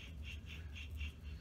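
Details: Chevrolet Trailblazer SS front wheel hub, old unit spun by hand after removal, which had triggered a Service Stabilitrak message: low gritty rumble with a faint chirp about four times a second; worn front wheel bearing.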